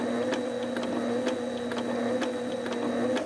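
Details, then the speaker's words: Sailrite LSZ-1 sewing machine with new WorkerB motor, unthreaded, run a little faster than minimum for one-stitch-at-a-time control: even, quick needle ticking over steady motor hum, no knocks or grinding; normal smooth running. "But you go a little faster, you know, you can put one stitch in at a time."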